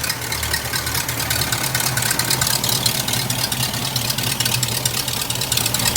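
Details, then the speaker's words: Old hearse after new full exhaust, 50-mile break-in oil change and PCV hose fix, slow to start: steady, quiet even idle with no ticking, hissing or stumbling; normal healthy idle. "It actually, the car sounds pretty good. It took a second to kind of start."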